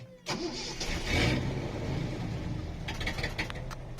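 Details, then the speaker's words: 1973 Datsun 240Z series 2 on carburetors, running rich and not yet tuned; it died on the road and the starter cranks on and off without catching. It had run out of fuel because of a badly calibrated fuel gauge; nothing else was wrong. "we're stuck we just ran out of fuel uh I had uh fuel sent to me and then uh my mechanic jumped in and drove it home there was nothing else that was the problem is just ran out fuel"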